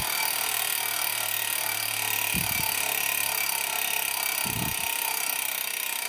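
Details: Giant Liv Avail Pro 0 Di2 rear derailleur, shifted via the phone app after adjustment (set to 17 instead of 18): two short whirring shifts about two seconds apart over a steady hiss; clean, normal shifting.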